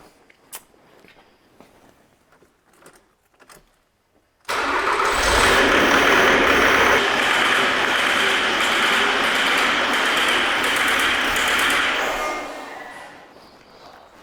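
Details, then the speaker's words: 2008 Jaguar X-Type 2.0 diesel before repair, codes for injection control pressure too high; starts into loud harsh rattling clatter, smoking, rough until shutdown; pressure regulator getting too little power; rough running from low regulator supply. "have this 2008 jaguar x type it's a two liter diesel it's running like a pig it's noisy it's rattling and it's smoking"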